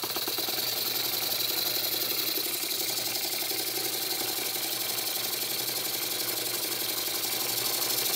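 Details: Very old Stuart S50 steam plant engine, reassembled with a new valve rod and valve timing set fairly accurately. Quick, even hiss-and-chuff beat about four times per second over a steady airy rush. Normal running with plenty of power.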